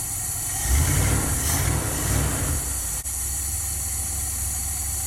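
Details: 1977 Dodge van 318 V8 2bbl after mileage/horsepower rebuild with changed air intake, first cold start, idling in gear: low even burble, steady and quiet, no knocks or ticks. Normal idle.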